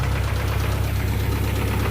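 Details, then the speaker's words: 1992 Honda Accord with bone-stock JDM H22A, turbocharged, 93 pump gas, warm idle; fast, even tapping in time with engine speed over a low rumble; owner suspects the cam, fuel said good, cause not confirmed, motor believed done. "but listen at this that is that sound very bad sounds like the cam scared to drive it"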